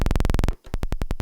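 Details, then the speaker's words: 2016 Minimoog Reissue oscillator on 32-foot footage, lowest C: a low note pulses at about twenty per second, then drops to roughly ten as separate clicks, an octave lower than it should be; the oscillator is pitched an octave too low. "it's just a click so it's going down a whole extra octave than what it should"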